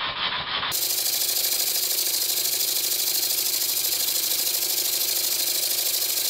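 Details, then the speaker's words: Old Bassett-Lowke steam plant engine resembling a Stuart S50 (metric fasteners, slightly different design), run on air fed by a pipe pushed onto the steam chest cover, which leaks; valve set fairly accurately: quick even exhaust beats about three a second under steady hiss, runs smoothly with plenty of power. "I set the valve climbing fairly accurately and I'm surprised that it runs this well there's plenty of power as well"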